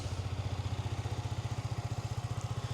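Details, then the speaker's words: 2020 Yamaha MT125 after swapping to factory exhaust to cure persistent engine management light (new O2 sensor hadn't helped): even low idle thumps about fourteen a second, no hunting or misfire; light stays off, fault appears fixed. "Okay, so the Yam seems to be fixed. The light has not come back on yet. If I start it up, we have no light."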